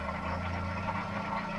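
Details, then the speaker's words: Car at 99,000 miles starts straight away but idles with a rough gravelly grumble, seemingly from behind the timing cover; owner suspects a worn water pump or cam belt tensioners, possibly something more serious; engine itself otherwise sounds alright. "Starts up straight away, but grumbly down here. Now I would say, and a lot of you will comment I'm sure and tell me your thoughts on it, but I would say it sounds like it's coming from behind the cover, and it sounds like a completely knackered water pump or tensioners."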